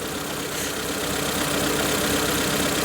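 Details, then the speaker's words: Proton Wira petrol engine after fuel drain, plug lead repair, new spark plug, compression and valve clearances checked: rough idle with a stumble about four times a second. Number 1 cylinder is misfiring, and a faulty injector is suspected. "There she goes. Struggling, struggling, struggling. Misfiring."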